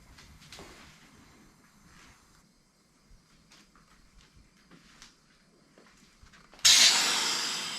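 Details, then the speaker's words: LS V8-swapped Chrysler Conquest, first startup: after a quiet spell a sudden loud hiss bursts in and slowly fades; they believe it is pressure building in the crankcase. An earlier click was a part bent over by the clutch bolts. "What? What's all the hissing?"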